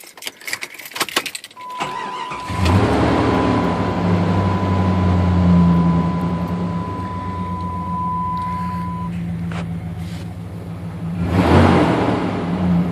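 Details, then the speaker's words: Jeep ZJ Grand Cherokee 5.2 V8 being fixed for overheating, after fitting a new Duralast fan clutch: steady low engine hum with a whooshing rush of air as the fan clutch locks up and pulls air, as it should. "that that wind blowing that right there is what it should actually sound like with the new fan clutch"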